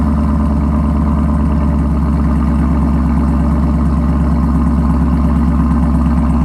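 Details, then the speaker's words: Camaro SS V8 idling on first start after an MBRP axle-back quad-tip exhaust install: deep, steady burble with an even, loping beat, louder exhaust, no knocks or misses; normal idle. "Alright, y'all. First start up since putting the MBRP on. Let's see what happens."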